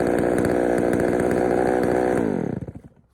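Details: Poulan 3000 chainsaw, brought in not running, serviced with old dirty fuel drained and fresh fuel added; revs with a slightly lumpy, burbling beat and sags as throttle drops, mixture a little rich on the low-speed side, to be adjusted.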